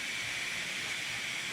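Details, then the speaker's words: Nissan 300ZX twin turbo with turbo lag, boost leak test with pressurised intake: steady high airy hiss from a leak toward the back of the intake near the idle air control valve; location suspected, soap-water check follows. "immediately you can hear a leak towards the back of the intake around the area where the idle air control valve's at."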